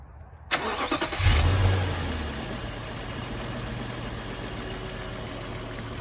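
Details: Infiniti M45 with a suspected failed fan control module: starter catches quickly and engine settles into smooth, steady low idle with AC off and no fan roar over it; sounds healthy.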